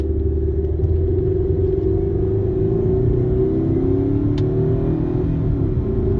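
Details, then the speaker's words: Mercedes C230 at about 65 mph after fixing driveshaft noise (rubber pieces hitting heat shields): steady low road rumble, no clunks or thumping; driveline quiet and healthy. "yeah 65 everything's fine so it's definitely the problem"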